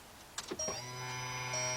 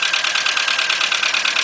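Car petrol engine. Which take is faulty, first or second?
second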